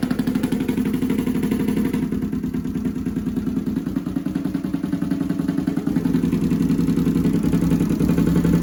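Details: Honda CX500 with Mikuni carbs; lumpy twin idle with a lopsided, uneven beat at roughly three or four pulses a second, right cylinder misfiring.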